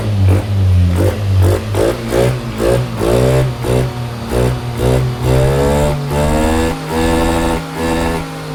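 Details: Yamaha NMAX scooter that stumbles when pulling away: repeated throttle blips rise unevenly and falter; diagnosed as a faulty MAP sensor and a failed spark plug, both replaced.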